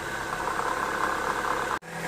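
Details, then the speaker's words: Engine idling with a rough, gravelly rattle traced to the A/C compressor pulley bearing, no play in the pulley; noise gone after the bearing was greased. "ребят Кто бы мог подумать что шум издаёт вот этот вот подшипник слышите давлю на него А так не люфтит ничего шкиф компрессора кондиционера а звук издаёт Вот нажимаю"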